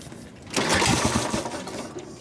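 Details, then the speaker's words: 1953 Harley 74ci panhead, cold start, probably flooded, choke off, full ignition advance, full throttle: a kick catches with a sharp bang, then ragged chuffing as the engine kicks back and runs backwards. "Okay, so the bike ran backwards. Now if I came up like that when I was running back, I just went like that."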